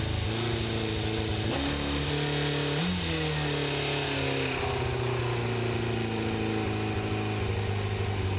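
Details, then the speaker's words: Kawasaki GPX 600R four-cylinder, £150 bike, vacuum gauges fitted before carburettor balancing: uneven idle, pitch wandering and dipping instead of holding steady; lumpy running, carburettors suspected out of balance. "Now the bike isn't started at the minute, so it won't show anything, but let's start it up. As you can see, it doesn't sound very good."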